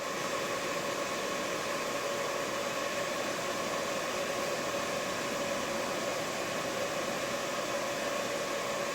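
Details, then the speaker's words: Used Breckwell pellet stove convection fan removed from a P24I, in a pre-shipment test: a loud, smooth, constant whoosh with a steady tone and no ticking or scraping; fully functional and relatively quiet. "so there it is it's fully functional relatively quiet"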